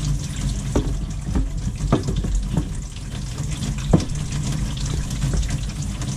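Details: After a kitchen faucet repair to cure water hammer that sounded like it came from the combi boiler: smooth, even rush of water with no banging; flow is normal.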